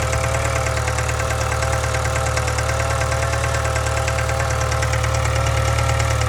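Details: 2013 Subaru 2.0 Boxer at idle: deep hum with an even constant tapping around three per second; engine knock and hum, cause not evident.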